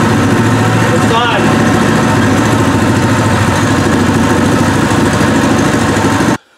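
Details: New Pro Point 208cc 7hp electric-start single-cylinder engine, first start on an unsecured stand, vibrating heavily, before break-in: steady, even putter with no misses or knocks; normal idle.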